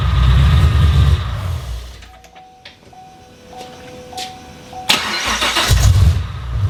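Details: Car's first startup after a used Magnuson supercharger kit install. Engine fires into a low rumble, fades out within about a second and a half, then catches again later; starts then stalls.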